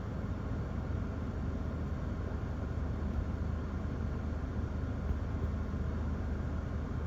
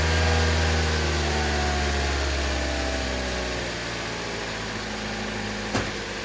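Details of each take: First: 2011 Toyota Corolla S stopped in Drive with the A/C on, after the intermittent faulty cylinder 2 coil pack and spark plug were replaced; a steady, even idle with no bucking or stumbles. Normal idle. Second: 2011 Toyota Corolla S, idling in drive on the brake with A/C on, after throttle body and MAF cleaning: idle sags and shudders twice; intermittent cylinder 2 misfire, no check engine light, from a faulty coil pack.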